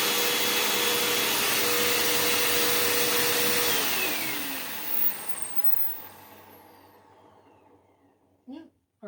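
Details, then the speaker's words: Hoover Elite Rewind Plus upright vacuum, reassembled after repair, switch-on check before suction-gauge test: steady high-pitched whoosh held evenly, then smooth falling spin-down at switch-off; seems okay though not perfect. "right seems okay I don't uh I don't think it's perfect by any means"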